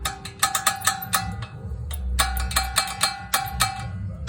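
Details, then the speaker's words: 2006 Honda Civic rear brakes: sharp ringing metal clunks in an uneven rhythm on applying and releasing brakes; missing pad hardware lets the pad slide up and down in the bracket. "if you have a clunky noise coming from the back when you press the brake when you release the brake it might be your pads"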